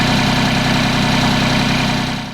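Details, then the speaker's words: 2013 Mahindra MAX 22 HST tractor, Mitsubishi diesel, after fuel filter replacement; steady, even diesel clatter at constant idle with no hesitation, stumbles or hunting, no air in the injection pump. Normal idle. "And it looks like the manual was right. There is no hesitation in the idle, so we didn't put any air in the injection pump. That's excellent."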